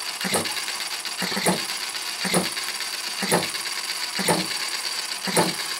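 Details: Retrol HM-01 7cc four-stroke horizontal hit-and-miss model engine: sharp firing pops about once a second with quiet coasting between, steady and even, slight vibration expected; running healthy.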